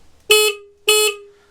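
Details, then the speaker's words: Motorcycle with Moto Gadget wiring, horn relocated under the seat: two short loud honks with bright steady tone and quick cutoff; horn still loud, normal operation. "now I'm out horn under the seat it's out the way you can't hardly see it gives all that nice clean area there clean area on the front and but it's still loud"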